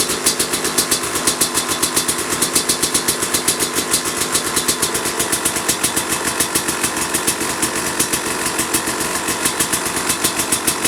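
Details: 2005 Kawasaki KX250 two-stroke, first fire-up after rebuild for low compression (piston shot, plating questionable, crank play): crisp even popping at steady idle with quick rev blips, no rattles or misses; running healthy.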